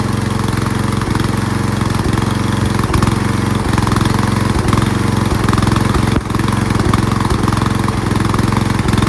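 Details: Lawn tractor riding mower engine with new fuel shutoff valve closed: steady, even thumping run at constant speed with no misses or surging, run until it stalls to dry the carburetor bowl for winterizing; normal running.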